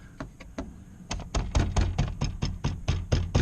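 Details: 10th-gen Honda Civic Si door with upgraded aftermarket speakers and tweeters: tapping the panel gives a dull knock trailed by a brief loose buzz; something in the door mechanism is loose, not yet identified.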